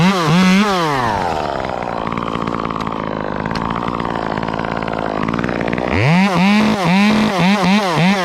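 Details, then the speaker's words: Chainsaw cutting with the bar tip, not fully loaded: screams up in rapid bursts, breaking into an uneven burbling bark. This is four-stroking off-load, similar to the 500i and considered a design trait. "it's not loaded up completely it does that bark similar to the 500i it's just the way these saws are designed it's just how it is"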